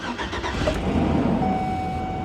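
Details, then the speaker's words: 2005 GMC Savana conversion van sold as a non-runner: quick crank catches and settles into a steady mid-pitched idle with a faint whine on top; it starts and runs perfectly. "it it runs it actually runs perfect it runs perfect I'm I'm not this is listed as a non-runner guys this is not supposed to run at all it's supposed to be dead"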